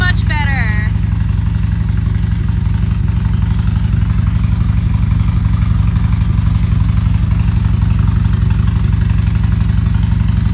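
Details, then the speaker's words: V-twin motorcycle at about 43,000 miles after repair of a backfire; a new rivnut was fitted and the bung refitted. Now a steady, even idle with a regular low thump and no ticks or rattles: normal idle. "Jordan thinks that he put the right bung back in the right size okay so he put the new Riv nut back in and hopefully this solves the problem so he's going to start it up right now"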